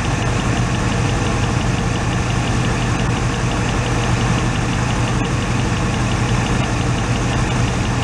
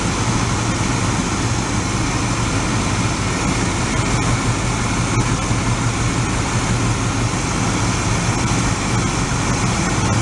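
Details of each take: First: 1986 Oldsmobile Cutlass Supreme V8, revived after sitting five years, idling during a test-light cylinder ground-out: low lumpy, uneven rumble; grounding number three makes no difference, so cylinder three is suspected dead and misfiring. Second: 1986 Oldsmobile Cutlass Supreme V8, sat five years, after finding the number three spark plug wire burned off: even, steady idle with a deep smooth exhaust; sounds better, though still fluttering occasionally.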